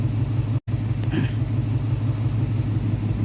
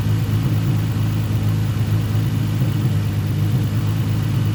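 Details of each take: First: Nissan 350Z V6 idling with a low, uneven pulsing beat; scanner shows cylinder 4 misfire, with heavy exhaust smoke, check engine light on and fuel gauge not working; one cylinder misfiring at idle. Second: Nissan 350Z after spark plug replacement cured a cylinder 4 misfire (coils swapped and ruled out): deep, even running with no skipped beats, though it still smokes from burning oil.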